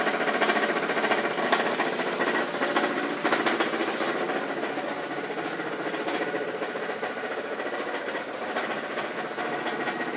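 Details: 2001 Ford Focus at idle: fast tinny rattle, about two per second, from the belt housing; goes away with throttle or at highway speed; torque bolts already checked; source not identified.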